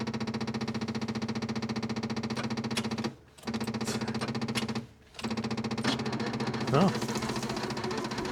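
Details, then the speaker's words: 1967 Opel Rekord 2DHT Coupe after years standing, extra electric fuel pump fitted, pump sounding nearly dry: slow, uneven starter churning in short bursts, engine never catches; the starter is worn and doesn't turn over reliably. "Mais le démarreur tourne. Ouais, il fait ce bruit à la pompe maintenant, comme s'il était presque à sec. Ouais, presque la moitié du réservoir, ça devrait tenir un moment. Ce démarreur est vraiment pourri, il ne démarre pas à tous les coups."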